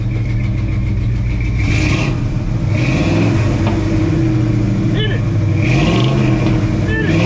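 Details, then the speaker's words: 1968 Ford F250 'Ole Red', 360 FE V8 with headers and one tailpipe straight out the back, carburetor adjusted by ear, choke slightly closed: deep rumble that pulls up cleanly on throttle blips and settles evenly; sounds tuned up. "hey hey hey old man that sound like a tuned up engine on it sounds good"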